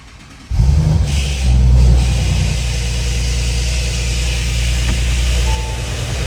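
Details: 2017 Audi B9 S5 EA839 V6 with 67,000 miles, cold start and revving: audible light rapid tapping on bank two from failed rocker arms with old-style small bearings; engine later removed and rocker arms replaced.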